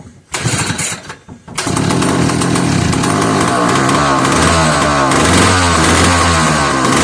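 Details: Old McCulloch 1-52 chainsaw, freed up with strong compression, run in a vise after adding fuel. After a couple of pulls it catches and keeps running with a fast, buzzy two-stroke crackle holding steady.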